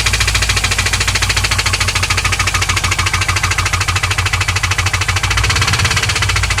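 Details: 2001 WS6 LS1 5.7L V8 idling, refilled after running out of oil and losing oil pressure (about 30 to 0). A sharp, fast tick runs evenly under the exhaust note; cause suspected, not confirmed.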